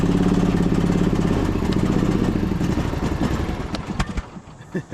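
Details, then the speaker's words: Husqvarna YTH2242 riding mower, Briggs V-twin later found with a bent push rod/valve problem, started with belt tension loosened and full choke: uneven, lumpy beat that sags and fades as the engine struggles; rough running, down on power. "It's not sure how it wants to run. It's really down on power. Transmission feels pretty good. But yeah, you could tell engine is not running right."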